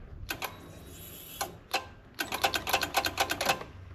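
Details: Wrecked 5.0 V8 Mustang bought as a non-runner, power wired directly to the starter solenoid: sharp rapid clicks in bursts, several per second, with no cranking; owner suspects a failed starter, not confirmed.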